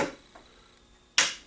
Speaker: if we can press the start button you see it goes through the switch is just engaged this starter solenoid you might be able to hear it hear the loud click at the same time the starter light kicks on